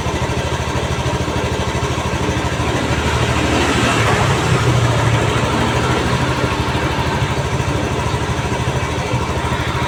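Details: Honda Beat FI automatic scooter that wouldn't start on smooth starter (no check-engine blink, battery normal), after repairing nearly broken wire at side-stand switch socket: steady even putter at idle, no misses or stumbles; starts and runs normally.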